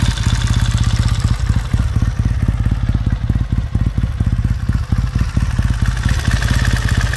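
Even, steady thump of a twin ticking over about two firing beats a second, no knocks or misses; healthy cold idle.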